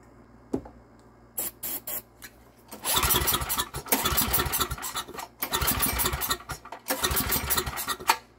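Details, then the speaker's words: Estate-sale generator with no primer and good compression, won't start; pull-cord cranking, choke open, catches a second or two on starting fluid and dies each time; cause not yet confirmed. "all right we're gonna try giving this thing a few pulls it does not have a primer and if it doesn't start we'll use some starting fluid"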